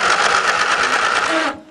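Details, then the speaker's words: Lawn and garden tractor jump-started, jumper pack ground clamped to a bare bolt: quick even whirring cranking for about a second and a half, starter turning the engine normally; if it cranks but won't start, no spark. "and the engine cranks then if it cranks but it still won't start you're not getting any spark"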